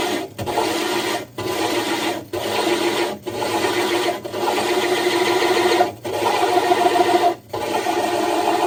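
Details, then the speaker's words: Diamond hole saw drilling a 60-gallon breeder aquarium's glass, pressure lifted and reapplied and drill power varied: gritty grinding in short bursts with pauses; normal controlled glass cut. "And if you could hear the drill, he was actually fluctuating the power of the drill. That way he's in control of it."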